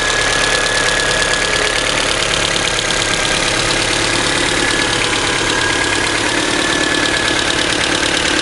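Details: Light, quick ticking of about four per second from the cylinder head over a steady idle. It appeared after the valves were adjusted twice and the rocker assembly was removed. Likely valvetrain clearance, cause unconfirmed.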